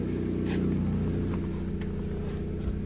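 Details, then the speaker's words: Cat S salvage car at steady idle with a rough puffing blow on the exhaust note; exhaust leak suspected at the front flexi pipe, whole exhaust to be replaced. "the trouble is the exhaust is blowing can you hear it blowing"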